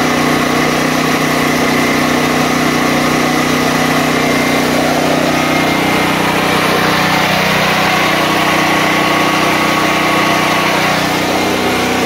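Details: DuroMax XP13000EH hybrid portable generator running on gasoline after bypassing its faulty fuel selector switch: a steady, even engine drone with no hunting or surging, a smooth settled idle under no load. The fix cured the fuel-starvation surging.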